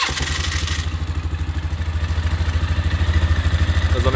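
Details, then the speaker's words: 1999 Polaris Sportsman 500 after replacing a missing Bendix gear and the pull-start cover; single-cylinder idle thumping evenly, slightly uneven with the idle still to be adjusted, and the chirping rattle is gone. "still got to adjust the idle but before I was making a bad kind of chirping rattling noise now it's quiet"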